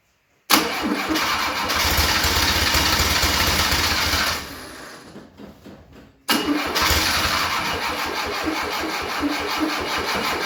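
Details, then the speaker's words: 1972 Fiat 850 Sport Spider after 22 years sitting, with fresh gas, a new filter and lines: it catches, runs ragged, dies, then restarts rough. Carburetor flooding suspected, after an earlier hydrolock. "I think we're having some carburetor issues. They keep putting way too much gas down there because of this great filler system."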